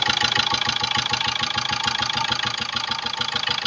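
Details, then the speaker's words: 2005 Ford Ranger diesel pickup idling roughly with a steady rapid ticking knock, about three per second, heard up top at the air filter; cause unconfirmed pending engine teardown. "olha o batidinho que tá dando em cima bem aqui ó no filtro de ar ó vê se vocês consegue escutar"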